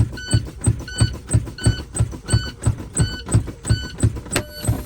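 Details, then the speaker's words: Tractor-trailer truck during an air-brake test, with the brake fanned after the low-air warning alarm came on between 55 and 60 PSI. An even beeping with steady thumps, then a sharp pop as both parking brake valves pop out around 20 PSI. A passing test. "See, both of them pop out. Then you have to tell the DMV around 20 PSI. So they pop out around 20 PSI."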